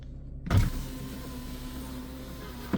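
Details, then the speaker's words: 2011 Toyota Camry driver's power window after battery replacement: short steady motor whir between start and stop clunks, no grinding or straining; works normally. "So the driver's side worked. We're gonna try the passenger side."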